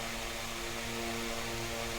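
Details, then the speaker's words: Mainstays SFC-225BR1 9-inch high-velocity fan after oiling the bearings, balancing the blade and swapping the defective armature: steady even whir, smooth hum, no wobble or scraping; runs cleanly and well balanced. "so balance is much better seems like we got ourselves a pretty useful fan here uh clean up and oiled it real well it's working pretty good"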